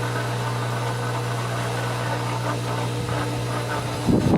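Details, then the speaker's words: Pool pump at season opening, first start while priming: steady motor hum with low drone and light rattle but no water rush yet; pump running dry while priming. "the little sounds are not bad we might need to stop down and add some more water i kind of know based on the sound of it right now it sounds like it's really trying to pull some water"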